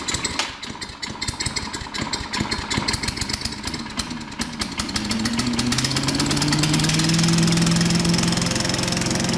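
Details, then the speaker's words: Sears Chipper Vac small engine after fan blade welding, deck repair and carburetor clean/float fix; rapid rattling cranking catches, then a steady, fairly high-pitched run; owner thinks RPMs may be somewhat high, otherwise running fine. "I'm going to check the RPMs on that and it just may be the way it is but this sounds like they're kind of high but other than that this thing's ready to go"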